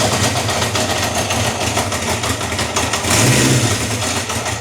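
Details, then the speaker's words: Honda CB750 K4 four-cylinder warmed up on choke: stumbling idle with an uneven knock about four times a second and slapping, won't idle, from carburettors out of balance before carb sync and ignition timing. "Hear that knocking? That's slapping. Doesn't want to idle. Let's get that sorted."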